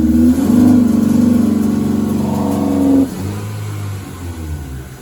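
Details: Toyota TE31 Corolla with swapped 3SGE Beams black-top engine and Altezza six-speed, inline 255 fuel pump with pressure regulator: blipped throttle climbs, then sags and drops off after about three seconds instead of revving clean; engine fails to rev out.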